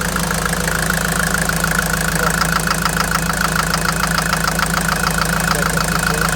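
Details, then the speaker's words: Mercedes Vito 110 TD diesel after replacing delivery valve seals on the injection pump and re-priming fuel, recorded very close to the engine: steady idle with an even, sharp clatter, louder up close; normal, intercooler not yet connected. "Et quand on s'approche beaucoup, on l'entend claquer et plus tu t'éloignes, moins tu l'entends."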